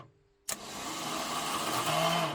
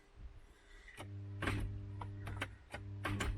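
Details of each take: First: Ford Cortina MK3 Kent engine starter, solenoid bypassed to power windings directly: sharp click then steady even high spin with no grinding or dragging; normal starter motor free spin. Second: MK3 Ford Cortina with a seized Kent engine, powered from a jumper pack: short bursts of low electrical hum with a click each time, the engine never turning; the starter pinion is locked onto the ring gear.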